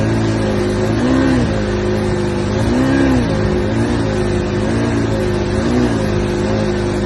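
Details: Johnson outboard: revs in short blips, with the pitch rising then sagging back each time instead of climbing cleanly; it is bogging or misfiring under throttle, and the cause is suspected but not confirmed.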